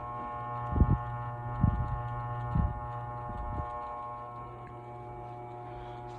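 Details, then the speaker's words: 42-inch Harbor Breeze Centreville ceiling fan running on high speed, very noisy on high: constant low electrical buzz with a steady hum and ringing overtones that vibrates through the motor; cause undetermined; motor buzz. "now I'll turn the fan on now and start at the high speed it's got a buzz that vibrates through the motor"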